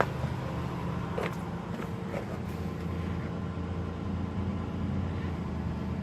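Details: 2010 Chrysler Town and Country at first start after hydrolock repair (new manifold gaskets, plugs and coils reinstalled): a low, even idle hum with no knocks or misses and a few handling clicks, smoking off water and oil in the cylinders. Normal idle.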